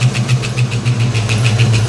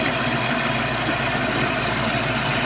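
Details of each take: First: 1989 Mustang LX 5.0 convertible, first start after about three years, new fuel injectors, warming while watching thermostat: fast even ticking about eight per second over steady V8 idle; tapping noise, cause unknown. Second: 1989 Mustang LX 5.0 V8 convertible, first start after about three years, following ECU capacitor repair: steady, smooth idle with a low drone and no ticks or knocks. The earlier unidentified noise is gone; normal idle.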